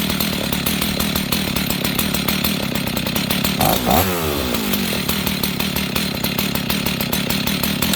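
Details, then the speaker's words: Husqvarna 61 chainsaw with a badly worn clutch, idle being lowered: buzz drops sharply yet the clutch keeps rubbing the drum, creeping the chain while barely running; needs a new clutch. "Okay, friends, you see that? This thing is barely running, and it's still spinning the chain."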